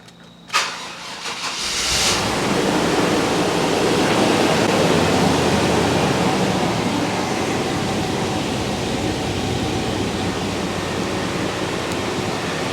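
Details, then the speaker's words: 6.0 LQ9 V8 with a small cam, swapped into an OBS two-door Tahoe and unstarted for 2–3 weeks: short burst of cranking before it catches, then a steady, slightly rough idle; hesitant cold start, owner suspects the battery. "As you guys can see, it actually was a little bit hesitant. I probably need to unplug the battery because I haven't started this thing in maybe 2 or 3 weeks"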